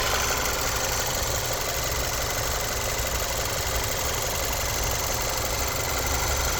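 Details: Audi A4 B8, suspected timing chain (Steuerkette): even idle with a fine, fast metallic rattle over the engine note throughout, source at the front unconfirmed; engine rattle at idle.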